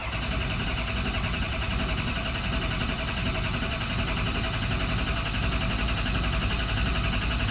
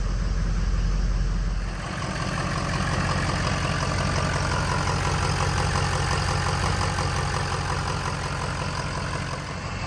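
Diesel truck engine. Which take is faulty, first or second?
first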